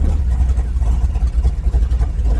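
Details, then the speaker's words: 1955 Chevy with a big-block V8 before its first drive, after a tune-up and reconnecting the transmission vacuum line: deep, steady, even rumble with no knocks or misses; the idle is way nicer now; normal idle. "idle is way nicer now what the idle is way nicer"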